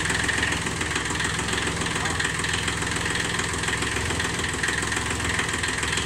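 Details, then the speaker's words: Kubota three-cylinder diesel micro-tractor in a garage: steady, even idle clatter with no misses, knocks or hunting; runs impeccably, better than new. "Ah, il tourne impeccable. Eh. Ah, il tournait bien le son. Il tourne mieux qu'un neuf."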